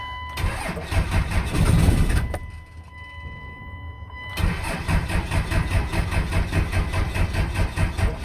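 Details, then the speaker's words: 5.9L 24-valve Cummins diesel after replacing a rotted ground wire: chugging crank about two beats a second, a pause, then weaker cranking on one old battery, never firing. Cranks but no start. "Oh, ran out of power. Okay, gonna give this another minute, charge back up."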